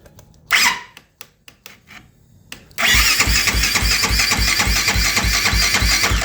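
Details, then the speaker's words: 2008 Kawasaki KFX450R with a starting fault despite a new starter, relays, solenoid, switches, harness and injector, and timing and valve clearances in spec: a few dry clicks, then slow, heavy, labored cranking at about 3.5 pulses a second; never fires. "It don't go no more, so I'll turn it back, and it does like clicks. It doesn't do like an easy turn."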